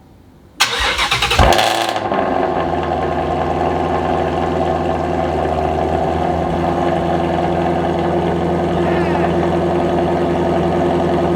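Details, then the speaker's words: Ford Mustang GT350R with newly installed AWE Switch Path exhaust, valves open, first true cold start, car raised before diffuser refit; starter whir, loud flare, then steady deep even high idle, no check engine light; normal cold start. "i'm going to start it up make sure i don't have any check engine lights and this will actually be the first time in this car's history that it has had a true cold start"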